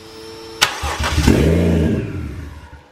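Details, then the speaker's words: Brief starter whir, then a Toyota 1JZ VVT-i inline-six started on the ground with a jumper battery fires and settles into a rough low idle; normal start, though the mass airflow sensor reads no air. "all right so she fired so that's good"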